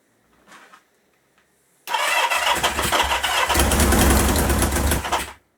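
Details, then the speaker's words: 1977 Kawasaki KZ650 B1 cranking on a spare battery while the carbs are being adjusted. Harsh whirring crank catches into a loud, uneven run for about three seconds, then cuts out; the owner hears a starter motor noise and may replace the starter. "i am getting a noise from the starter motor i may look at replacing that"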